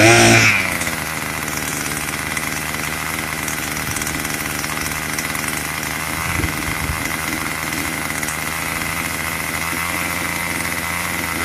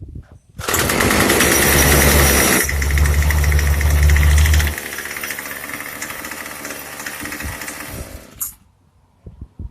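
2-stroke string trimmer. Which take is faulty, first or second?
second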